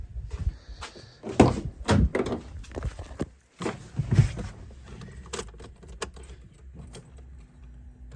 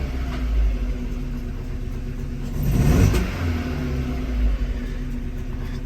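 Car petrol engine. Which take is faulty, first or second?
second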